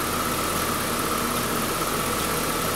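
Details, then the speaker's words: 2011 Buick Regal 2.0 turbo with a replaced engine, on which the owner suspects an aftermarket part and has fixed the air intake, no codes after revving: smooth, constant idle with an even tone and no hiss, knock or hunting; runs really good. "but you hear it you see it I mean it engine runs good runs really good"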